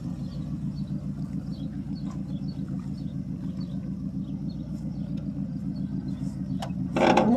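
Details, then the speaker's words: 1979 Oldsmobile Ninety-Eight Regency 403 V8, unstarted about three months, on 20-plus-year-old gas, cold start: prolonged even cranking about three and a half pulses a second before firing at the end; hard long crank. "I guess it's going to be a whe run cold start too cuz it hasn't been started in probably three months"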